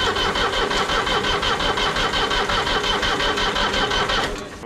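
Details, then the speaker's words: 1980s Marmon cabover semi truck cranking steadily at nearly three beats a second without catching; no-start from air in the injector lines, which need bleeding before fuel reaches the injectors. "Have to bleed them injector."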